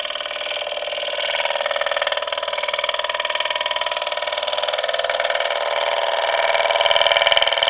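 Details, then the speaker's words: Woodturning a rectangular honey locust volcano bowl with a 60-degree bowl gouge: fast regular tapping about three per second over a bright cutting hiss as the interrupted cut punches off and damages the corners. "But we can hear it starting to punch the corners off, so we don't want to go too much further with this because it's starting to damage this area here."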